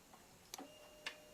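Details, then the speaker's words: Old Yamaha Vixion fuel-injected motorcycle, left relay (engine cut, key on/off and starter-in-gear circuit) tested by switching the engine cut on and off: two crisp single clicks about half a second apart; relay switching normally. "Nah, kan bunyi cetuk. Nah, kalau kita matikan engine cutnya, nah itu kan mati, bunyi juga, nyala bunyi juga."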